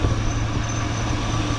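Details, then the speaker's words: 2001 Chevy Suburban at idle after fitting a brand-new AC belt and tightening the belts: even low idle hum with no chirp or squeal; the accessory belts run quietly. "It's been good, no squeaks. Let's give her a little rev."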